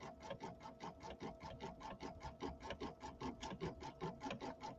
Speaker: can you hear that little clicking sound I don't know if you can hear it very well there's a little clicking sound and that's actually the needle I should have changed my needle